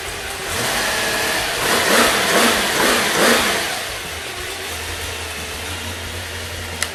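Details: 1969 Boss 302 V8 engine, warming up on a cold, damp day: smooth rev blips that settle to an even idle with only a faint whir from its quiet gear drive; runs great, no oil leaks; normal idle and revving.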